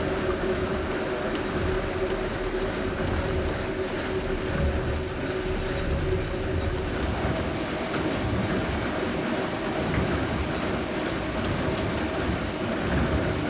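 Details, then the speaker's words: 1797 grist mill grinding corn: steady low rumble of turning stones with a light continuous rattle of corn feeding in, little vibration; running evenly and healthy. "No, but the sound is beautiful. Yeah. It's like, And you can see there's not much vibration."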